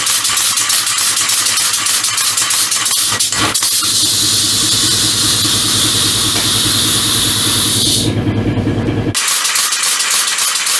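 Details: Compressed-air motor mounted as bicycle assist, first run with chain fitted: loud hissing air exhaust over irregular metallic chatter from the drive, like a slack chain slapping; not enough chain tension from rear tensioner, chain may jump; owner considers a clutch.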